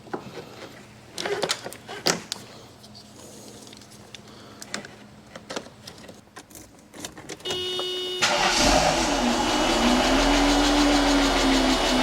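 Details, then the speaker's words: Mercedes AMG coupe first starting after sitting since 2009, using starting fluid: clicks, then it catches to a fast, even lifter tick at idle. The tick went away once oil ran through all the passages. "alive. Yo, [Music] lifter is a little bit loud, [Music] but it's alive."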